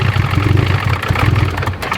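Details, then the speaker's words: Turbo FRS/GT86 that had been knocking, started after being rained on with oil found wet: uneven, lumpy clattery idle that sags and stalls on its own while still smoking heavily; rough idle and stalling, possibly bottom-end damage. "Nope, you don't even need to kill her. She'll kill herself. Killed herself. Still sounds like shit."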